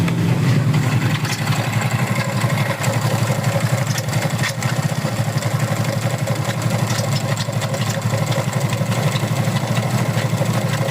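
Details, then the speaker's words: Soul GT scooter with CVT fully removed: rough idle with loose clattering rattle; noise persists without CVT, so the source is suspected inside the engine, not yet confirmed. "Tuh, ini kasusnya suaranya berisik ya di area mesin ya. Ini untuk CVT sudah saya bongkar tetapi untuk suaranya masih ada ya."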